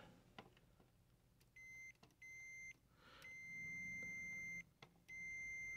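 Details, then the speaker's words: Continuity meter on the cue and neighbouring tact switches of a 2002 Zenith TBBR1352Z TV/VCR combo with smashed-in buttons: four clean steady high beeps while probes touch; switches closing properly, all tact switches judged good. "yep you're pretty good one next to it all right so in theory all the these uh tack switches are good"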